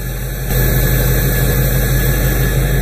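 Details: 46-year-old vehicle running again after new radiator, idling after tightening a loose fan belt and while topping up transmission oil about a quart and a half low: low even idle rumble with no squeal or chirp; normal idle.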